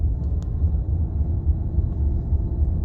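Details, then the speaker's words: Nissan Qashqai after the anti-roll bar parts were replaced, following a crash: a test drive gives a low, even road rumble with no knocks or clunks over bumps. Before the repair it clunked and clanked on every bump. The clunk is fixed. "So I'm just taking it out for a drive. You can hear there's no clunking whatsoever. Um, it's definitely fixed it."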